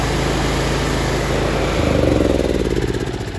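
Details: Kohler Command engine on a Troy-Bilt Bronco tractor, after curing poor running caused by an incorrect muffler pipe: a steady, even single-cylinder thump with no surging or hunting; normal running.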